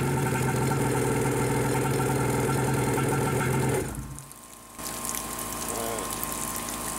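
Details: Wave Raider watercraft two-stroke after adding gas and Seafoam treatment, on a hot day: fairly even buzz, brief dip around four seconds, then catches and keeps running on its own.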